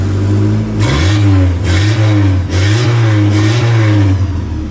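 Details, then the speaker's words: VW Passat B3 with rear silencer removed, straight pipe: deep booming unmuffled blips swelling and dropping with each throttle stab; loud exhaust, straight pipe with no muffler. "зараз почуєте глушаку їздив молодий хлопчина щоб ви розуміли немає банки пряма труба"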